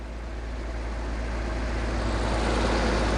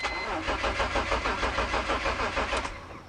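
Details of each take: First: 2004 BMW E46 325Ci after cleaning idle air control valve: steady low idle rumble holding even without rising and falling, slightly fast; previous loping surge gone, normal idle. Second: 2004 BMW E46 325Ci crank-no-start: starter turns about three pulses a second but the engine never fires and winds down; no spark heard, pointing to the ignition system; next step checking fuses.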